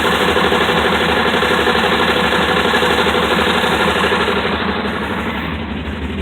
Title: dart knocking sound